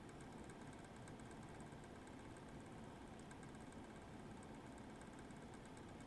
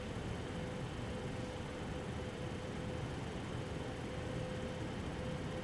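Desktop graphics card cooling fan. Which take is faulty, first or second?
first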